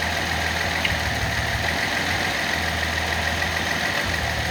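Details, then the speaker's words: Nissan L28ET six at idle after manifold gasket repair cured misfire; plug wire pulled for power balance test, uneven loping beat with occasional dropped pulse from the dead cylinder. "Another way to do it a little more crude is just pull the plugs off one at a time."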